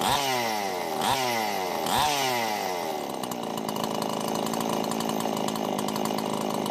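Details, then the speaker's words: Husqvarna two-stroke chainsaw after an oiler mod with a new oil pump, run at idle to check the oil flow, which is now decent: three quick throttle blips fall away cleanly to a steady, even idle with no hunting, running healthy. "You can see it's definitely flowing a pretty decent amount now."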